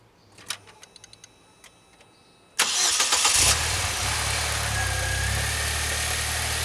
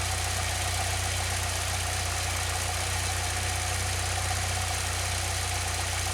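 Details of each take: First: 2006 Saab 9-3 2.0t, cold start at cold gauge mark just after new spark plugs, idling a little over 1,000 RPM: catches and settles into slightly uneven idle with a faint stumble; owner wonders if a leaking tube seal contributes, unconfirmed. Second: 2006 Saab 9-3 2.0t after new spark plugs for intermittent stumbling, started near cold mark, a little over 1,000 RPM: smooth, even idle with a steady low drone and no misses or knocks; sounds good, full cold start still untested.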